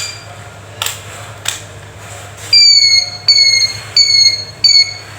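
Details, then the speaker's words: Handheld metal detector after repair with battery refitted, switched on: a couple of clicks then four clean, high, steady beeps about once a second; working properly. "जैसा कि आप देख रहे हैं कि ये बिल्कुल ठीक हो चुका है और ठीक वर्किंग कर रहा है।"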